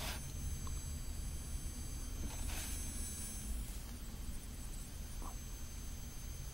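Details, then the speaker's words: Automotive EL wire (neon strip) lights before the noise-reduction fix: a thin, high-pitched steady whine over a low hum, the annoying sound from the electronic inverter. "las cuales tienen este conmutador eléctrico o esta parte electrónica la cual genera un ruido bastante molesto y es el que mucha gente se queja"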